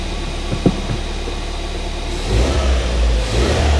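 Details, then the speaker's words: Ford Fiesta ST, not yet warmed up, after fitting a replacement cloned ECU: engine picks up cleanly from idle into a strong, even rev with no stutter or popping; smooth, normal revving. "yeah that's smooth without that wow i don't know what to say"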